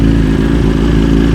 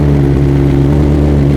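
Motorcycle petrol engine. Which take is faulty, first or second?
second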